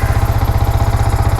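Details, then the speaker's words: Yamaha R15 V4 single-cylinder idling after repair of a rough, misfiring slow-speed idle (MIL lamp on though the scanner shows no fault): even, steady thumping about fourteen beats a second with no misses or knocks; normal idle. "Start ചെയ്തു [കരഘോഷം] നോക്കാം friends സാറെ കുഴപ്പമൊന്നും കാണിക്കുന്നില്ല. ഓക്കെയാണ്"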